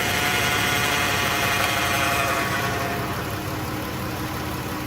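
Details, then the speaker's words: Car with check engine light on, idling in the shop with the transmission dipstick cap removed: constant high whine that grows louder; fluid brown and burnt-smelling, transmission severely overheated; pump whine from loss of prime. "Here it comes, it's getting louder and louder."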